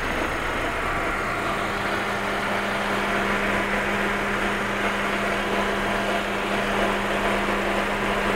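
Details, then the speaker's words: Fiat, warm engine at idle after a timing belt change: a faint continuous scraping rasp rides over the engine hum, seeming to come from the timing belt end; the noise appears only when hot and at idle, and its cause is unknown. "Vamos a escuchar de nuevo el sonido. Es como si algo raspara."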